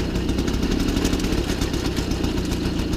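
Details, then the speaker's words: 1993 MBK 51 Club Salsa moped two-stroke, first start outdoors after revival, held on a little throttle since it won't yet hold idle: busy, buzzy beat just above idle, steady and even, no misfires or knocks; running cleanly. "Et ben écoutez les amis, c'est plutôt bon signe. Un MBK 51 Salsa qui a repris vie, ça y est."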